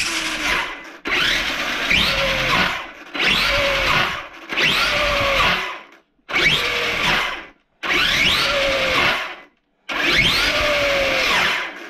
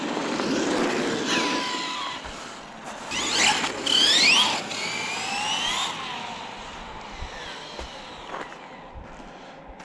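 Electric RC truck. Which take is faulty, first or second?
first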